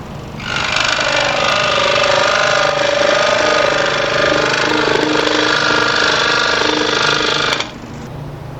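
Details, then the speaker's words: New 30" Pegas scroll saw bolted to plywood on stand, soft start, cutting 1/8" walnut with a coarse blade: steady, even buzzing drone only slightly louder under load; saw running normally. "That's a pretty coarse blade in there too. I don't use anything that coarse as a rule. But it's a little louder, but it's not bad. It's not bad."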